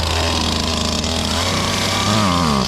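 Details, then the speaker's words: Stihl chainsaw from Brush 28, no decompression switch, restarted with choke brought halfway up: high buzzy two-stroke note running steady, picking up smoothly when throttle opens; normal. "I bring it halfway back up for the choke, and then I start it again."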